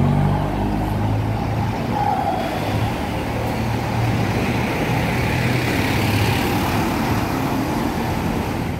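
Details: CAIO Apache Vip 4 diesel bus passing: loud, raspy low roar, the characteristic coarse rumble of a holed exhaust.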